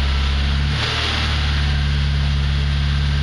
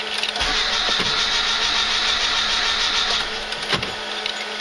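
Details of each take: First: ZAZ Slavuta 1.2 carburetted engine with 2nd-generation LPG kit, cold start on gas in winter (around -11°C outside, freezing garage), reducer warmed to about body temperature, clutch held in: steady even low hum, no misses or knocks; normal cold idle. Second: Slavuta 1.2 carburettor car on second-generation LPG, cold winter start: steady cranking that never catches and no engine firing, because the gas reducer is still too cold; owner warms the reducer before retrying.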